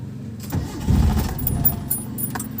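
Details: Mitsubishi Lancer with a hard-starting problem, since fixed: a short, low cranking growl that labours and sputters without settling into a clean idle; the engine is slow and reluctant to fire.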